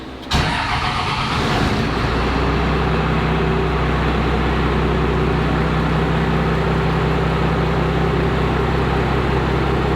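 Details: 1949 build with a newly built gauge pod, started in neutral with just over half a tank of fuel: starter catches within a second, engine fires and settles into a smooth, even idle with no knocks or misses.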